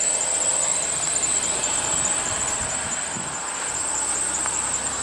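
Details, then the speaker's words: 2001 Ford Taurus running after starter replacement: a steady high-pitched squeal sits over the engine without letting up. The owner mentions a squeaky belt, so a slipping accessory belt is suspected but not confirmed. "okay yep there we go starter the whole [Music] time I got got a squeaky belt but yep so I'm glad that's"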